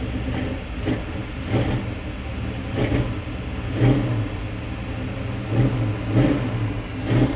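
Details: High-compression small-block Chevy 350 after sitting, just jump-started with a jump box: lumpy idle broken by quick blips about every second, revs rising and falling cleanly; normal running and revving.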